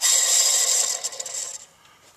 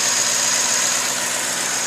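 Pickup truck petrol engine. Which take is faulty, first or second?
first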